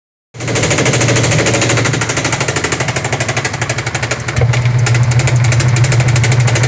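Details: Loud rhythmic banging about three times a second over the spin motor hum of a Sharp automatic washing machine's very noisy spin dryer; defective spin tub assembly knocking as it rotates.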